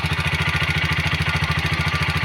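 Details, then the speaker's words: TVS Apache RTR 160 4V single-cylinder motorcycle, not very old, idling with a fast, even metallic ticking over the low thump: tappet (valve clearance) noise. "Engine में बहुत ही खराब आवाज निकल रही है आपको सुनाने वाला हूं मैं"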